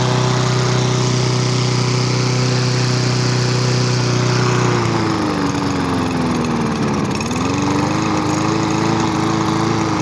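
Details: Free roadside lawn mower, revived with fresh gas after water in the old fuel: a steady, even putter with no misses or surging; the note shifts once with throttle and settles smoothly; running normally.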